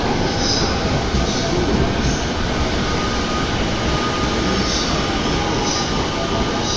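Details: Yokosuka Line E217-series train arriving at Shinagawa station. A steady rumble has a thin, high squeal drifting over it, an abnormal running noise on arrival, cause unclear.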